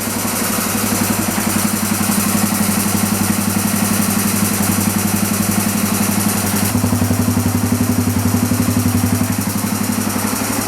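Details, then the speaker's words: Dirt bike long unstarted, smoking heavily, choke off: fast busy idle with steady rapid ticking over the thump, about 230 a minute; owner hears chattery valves and idle set too high. Cause suspected, not confirmed. "and it's like sounding like uh the valves are really chattery and it it's really high like the RPMs are really high"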